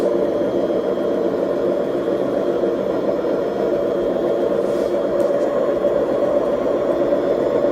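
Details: BEKO washing machine, 7 years 8 months old, with bad bearings: continuous rough mid-pitched whirring roar as the drum spins, steady without ticks, pointing to worn drum bearings.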